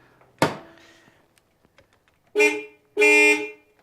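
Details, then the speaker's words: Honda Prelude (3rd generation) horn test after the bumper is refitted: two clean, steady blasts, the second longer, with a strong even tone and no rasp or dropout; the horn works properly. "let's go beep the horn one more time just to make sure that it still works"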